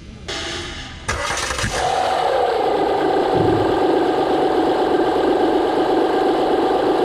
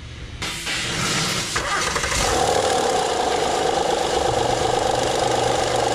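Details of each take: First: 2009 Honda Pilot 3.5 L V6 after replacing the failed hydraulic timing belt tensioner: cranks briefly, catches, settles into a smooth, even idle with no rattle, chatter or ticking. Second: 2009 Honda Pilot 3.5L V6 idling, light uneven ticking, rattling chatter in the engine bay from a failing leaking hydraulic timing belt tensioner, before tensioner replacement.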